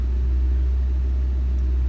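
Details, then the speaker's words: Ford Ranger at raised idle of 2,000 rpm, foot off the pedal, about 16.5% throttle, only with HVAC on, dies when HVAC turned off: steady deep even drone; owner suspects throttle position sensor, not confirmed. "as you can see my foot is not on the gas pedal right now and she's at 2,000 rpm she's been sitting there for coming up on a minute now but this only hat this high idle only happens when the HVAC though"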